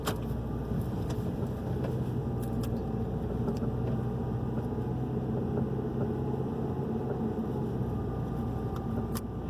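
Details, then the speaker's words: 2011 Hyundai i30 2.0 driven slowly on smooth, flat pavement, a noise two shops failed to find: scattered sharp, light knocks from the front over road hum, which the mechanic first hears as a creak. Worn stabilizer link. "Bom, tá mais parecendo um rangido, mas a gente vai ter que investigar, né? Eu vou tentar mostrar o barulho para vocês na filmagem, tá?"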